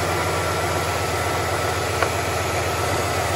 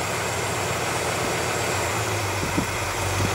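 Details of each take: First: 1967 Impala carbureted V8, after replacing the carburetor-to-spacer gasket: steady low rumble and hiss with no change when sprayed with brake cleaner, so the vacuum leak is fixed; normal idle. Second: 1967 Impala V8 idling: steady spray hiss as carb spray is applied, engine note firming when it reaches leaking carburetor gasket above the riser (base gasket fine); gasket found marred and replaced.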